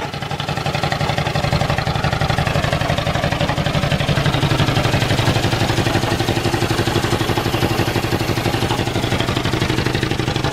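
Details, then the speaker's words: Ford flathead V8 old farm irrigation pump engine, year unknown, first start after sitting, good oil pressure: steady low idle with an even metallic clank roughly three times a second; something loose clanging in the pump, cause unconfirmed. "it's got good oil pressure too but something's clanging in this pump that's loose"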